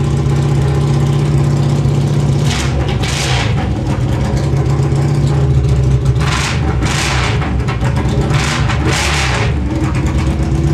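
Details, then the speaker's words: Honda Silver Wing (GL500) V-twin with new custom stepped unequal-length headers, no mufflers, carbs not yet rebuilt. Harsh, very loud open bark with repeated revs over steady idle; far too loud from open headers, and it leaks fuel. "okay that's pretty loud oh my God"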